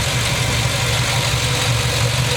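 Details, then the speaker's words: LS-swapped Caprice with a 4.8 from a 2007 Silverado Classic, a few thousand miles after replacing one lifter for a tick: steady, even idle with only faint light top-end ticking; normal valve train noise at idle. "but it's nothing you know concerning now it just sounds like normal valve train noise now"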